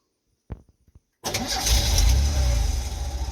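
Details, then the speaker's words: 1989 Ford F-150, 300 inline six, 4-speed manual, 4WD, first start after sitting 8–9 years: a few quick starter clicks, catches at once and settles into steady, even idle; normal cold start and idle. "Well, you know, fires right up. Didn't puke any out."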